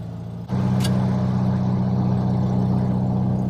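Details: 1967 VW Beetle after an intake manifold, carburettor, distributor and valve adjustment, idled a while: it catches at once and holds a smooth, steady hum, taking throttle with no stumble or popping.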